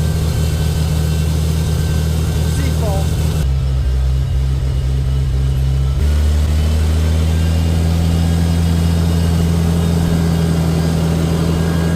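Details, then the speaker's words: Farmall tractor with Autolite 386 12V six-cylinder, first start after sitting over a year, choked, in neutral; slight sputter from probable moisture in gas, then steady even rumble with no misses or knocks, sounding really good. "sounding really good now I run auto light 386 in this it's 12vt 6cylinder"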